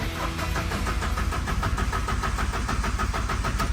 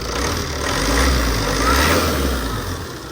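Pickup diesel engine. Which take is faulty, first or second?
first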